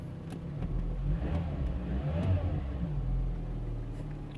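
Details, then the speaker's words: 2005 Citroën C4 1.6 petrol, a non-starter with code P1694, after replacing the faulty crankshaft sensor: engine catches, revs up and settles to a smooth low rumble with no knocks or misses; running normally. "There we go. And the engine is running. As you can see."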